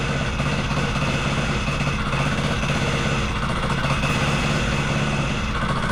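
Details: Wacker Neuson VP1030 plate compactor after governor, throttle lockout and carb adjustment: steady low drone with an even thumping pulse, no misses or surging. It runs normally; owner suspects worn clutch springs.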